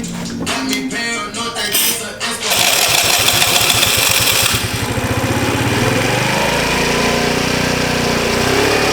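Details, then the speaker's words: Chinese 50cc four-stroke scooter that won't start, fuel present in the filter: coughs, catches and buzzes unevenly for a few seconds, then dies as if fuel-starved; owner suspects carburetor or petcock and plans to clean the carb. "i'm thinking it's something carbureted or petcock but it looks like it's getting enough fuel in the filter"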